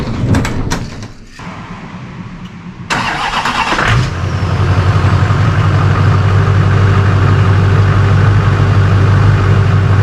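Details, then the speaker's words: An LB7 Duramax diesel after a cylinder head reinstall with grade C head gaskets, new ARP studs and 45-overs. A brief crank, then it fires right up, startling the owner, and settles into a steady, deep, healthy idle. "We got 16.8 fired right up. It just like a pig came alive, kind of startled me."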